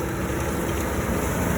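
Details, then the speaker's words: Vermeer 605 Super M round baler fitted with new May Wes Black Talon rubber pickup teeth and Poly Pickup Bands: steady even rush of belts turning, no clatter or rattle from the pickup; quiet, normal baler operation. "Look how quiet that is. Unbelievable quiet. All you hear are the belts on that round baler."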